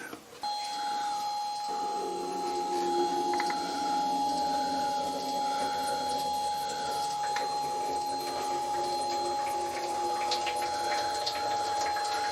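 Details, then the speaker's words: Newly built belt-style oil skimmer removing tramp oil from a milling machine sump, first run: an even, high-pitched drive motor whine with faint soft ticking, picking up mostly oil. Normal running. "looks like it's working pretty well. It certainly looks like it's mostly oil that it's picking up."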